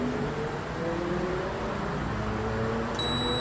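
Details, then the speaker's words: Compressor for DIY refrigerant recovery build, checked before power-up; steady high meter beep, overload-fed winding continuous and intact. "now this winding um would go also to this this and that is also continuous"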